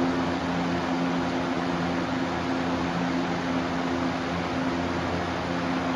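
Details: Lasko PSC capacitor box fan motor with a cheaper, flimsier blade set: smooth steady hum and even rush of air, no rattle or wobble; healthy, more powerful than the shaded-pole McMillan motor with the same blades.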